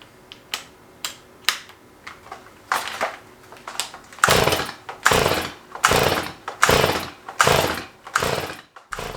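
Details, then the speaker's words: Stihl MS211 two-stroke chainsaw during restoration, quick test: repeated pull-starter rasps about every half second with no firing; won't catch, cause unknown, either too little fuel, too much fuel, or fuel not burning; sounds flooded. "these little engines are very simple and i was starting to figure out that it just wasn't going to catch there are only a couple options to address here now either it's not getting enough fuel it's getting too much fuel or that fuel is not getting burnt for some reason"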